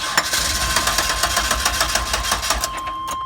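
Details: 1997 Chevy Astro van, 4.3 engine, that stalls or won't start in damp weather; moisture at the ignition coil suspected, not confirmed: starter cranks in quick even pulses for a few seconds but never fires; crank, no start.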